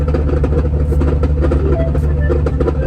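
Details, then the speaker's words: 4th gen Cummins diesel making over 1000 hp, G56 6-speed manual after a burnout attempt: heavy drone with rough uneven low growl and faint gear whine; third gear destroyed in the transmission. "Sounds awful. Hold on. Didn't you say this trans is under warranty? Listen. You hear it? Yeah. Then just annihilated third gear."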